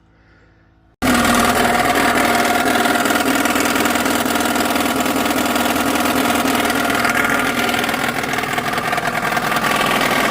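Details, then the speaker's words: Geo Tracker after an off-road trail, engine started and idling: loud, busy mechanical rattle from low down. Owner suspects an engine fault; cause unconfirmed, valve cover to be removed. "Still not 100% sure what it is, but I'm pretty sure it's engine related. You know [snorts] me, guys. Not a mechanic. Don't really know what we're doing. But I know it's making a lot of noise."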